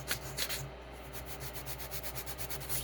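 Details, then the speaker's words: Creality Ender 3 S1 paper test with Z offset at -1.62 after auto home, fans running; faint, soft scraping strokes about every third of a second as the nozzle just catches the paper; light nozzle drag, correct Z offset. "hopefully the microphone picks that up and you can hear the vibration the scraping it's it is scraping just a tiny bit that's probably a good spot right there"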